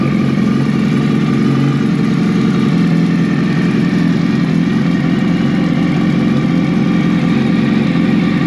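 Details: 2019 Suzuki Hayabusa after reassembly with a new full exhaust system: a deep, steady burble settling into an even idle, no knocks or rattles. Normal idle.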